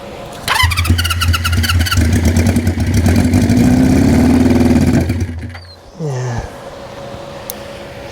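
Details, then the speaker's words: 1973 Honda CB350 Four on starting fluid with the choke shut: catches and runs roughly for a few seconds, then sags and dies; it does not like being choked. "doesn't like to be choked for sure I mean some people do some people don't but let's see"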